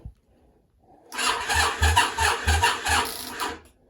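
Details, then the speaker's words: Yamaha Virago 535 project after a new starter fitted and fresh oil: starter drags slowly at about three laboured compression beats a second, never catching; battery sounds flat, jump pack used next. "well that's a bloody start but the battery sounds flat luckily for me Martin's jump Pack's just there"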